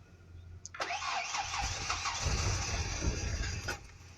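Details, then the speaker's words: Truck whose battery went flat after the headlights were left on: the starter drags over slowly, about four beats a second, and fades out without the engine catching. Slow crank from a flat battery. "My battery died. Came home this morning and forgot I had my headlights on"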